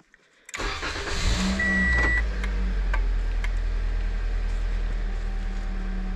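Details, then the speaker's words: 2015 Toyota Corolla after iDatastart HC remote starter install, started via three lock-button presses: short crank, engine catches at once into smooth, steady idle with no misses or knocks. "this fires up shuts off the same way with the key"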